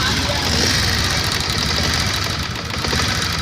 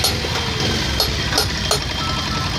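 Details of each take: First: BS6 motorcycle single-cylinder at idle: fast light ticking keeping pace with engine speed from loose tappet (valve) clearance. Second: BS6 motorcycle after tappet (valve clearance) adjustment: steady low idle with a few faint ticks and no heavy tapping. The engine sound is now smooth and normal.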